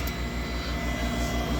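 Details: Furnace inducer motor running on a cold-weather no-heat call: smooth steady low whir with faint even pulse, no rattle or squeal; manometer reads -2.65 in. w.c. against -1.74 required, so inducer is strong enough. Pressure switch to be replaced, sensor to be cleaned.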